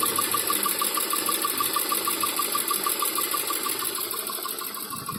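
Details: Toyota 4A-GE 16v black/red top engine, hot after a few minutes at medium or high speed: light, even metallic ticking about three times a second; engine also jerks and won't exceed 3000–4000 rpm, no ECU errors, cause not found.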